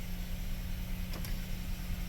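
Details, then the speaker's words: GMC Sierra/Chevy Silverado V8 towed in with suspected valve issue, after repair, check engine light not yet cleared: steady, even low rumble with no stumble or misfire; normal idle, possibly a valve that had hung open from crud. "let's see what she does I said we could have the valve issue don't know yet tell you what she's smooth you're smooth I'm happy with that so"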